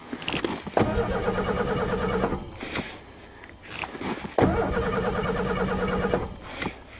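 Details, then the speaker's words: Cold start after winter, battery replaced and fuel pump not heard priming: two long bursts of rapid, even cranking, never catching; cranks but no start, cause unconfirmed. "I don't hear the fuel pump now the fuel pump work fine in November"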